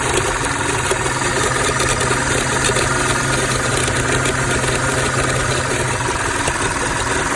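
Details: 2006 Audi A6 with a rough idle and power loss at low speeds; owner suspects the PCV valve. The idle stumbles with an irregular knocking pulse, about four a second, and a shaky low note; rough idle, cause unconfirmed.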